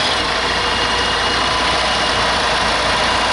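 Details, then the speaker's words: 1995 EZGO Workhorse gasoline golf cart, no start after sitting all winter, after replacing short fuel line and fuel filter and priming pump: small engine settles into steady, even hissy idle with no misses or stumbles; normal idle. "so let's see if this puppy will start up so it seems to be running"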